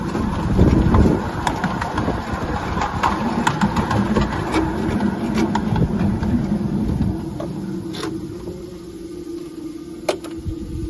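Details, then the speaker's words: Maxitrak 7 1/4" Forney live-steam locomotive running, with soft, fairly regular clunks over a low rumble: the axle-driven feed pump, bypass screwed down, pumping tender water into the boiler while moving, which is normal. "when you screw it down that's turning that pump on that's putting water from the tender into the boiler but only when you're moving you should hear it clunk"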